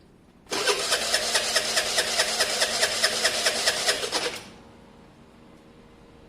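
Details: Honda SH125 scooter: steady starter cranking about 2.5 beats per second for four seconds, never catching; owner suspects stator wiring, choke or spark plug, not confirmed.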